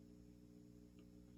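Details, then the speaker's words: 1959 Kay 703-C tube guitar amp, bought broken, tubes glowing and warming up, volume turned up: steady low buzzy hum at one pitch; normal mains hum. "we should hear some hum here somewhere my tubes are glowing on the other side let him warm up a little bit"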